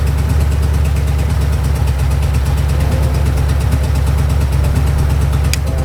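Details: Previously knocking Ford 4.6 two-valve V8, first start after repair with used junkyard crank and bearings and reused bolts, no radiator, long-tube headers: deep steady idle through loud exhaust, no knocking or ticking; normal idle.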